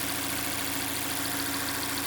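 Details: Mazda 6 Skyactiv 2.0 petrol at a smooth, even idle after a bearing-shell repair for a knock that began after an oil change with suspected counterfeit oil; no tapping or knocking now, though the knock later returned with a badly damaged conrod and crankshaft.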